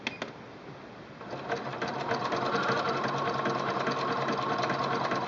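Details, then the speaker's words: Singer Quantum L-500 sewing machine, zigzag at 3.0 length: quick even chatter about three stitches a second, no clunks or grinding; normal zigzag stitching. "Now I'm going to show you the zigzag stitch in a variety of widths. I'm starting out with a 1.5 width and a 3.0 length."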